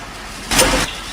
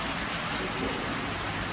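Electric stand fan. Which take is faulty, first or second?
first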